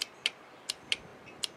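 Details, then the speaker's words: 50 hp Mercury outboard that dragged as if the starter was failing; with test leads on the key-switch wire at the solenoid, each button press gives faint sharp clicks and no crank, showing the solenoid is failing, not the key switch. "hear a little bit of a click it's not really activating the sila node fully it's just barely clicking so I know that it's not my key switch"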